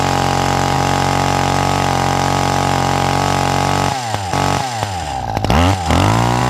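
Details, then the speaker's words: Hedge trimmer two-stroke with a replacement carburetor that didn't fit right and a loose bolt: buzzy steady high note, then uneven surging and sagging when revved. The carburetor is out of tune. "So, I want a bit of a tune on my carburetor."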